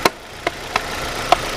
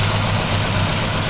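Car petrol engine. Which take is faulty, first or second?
second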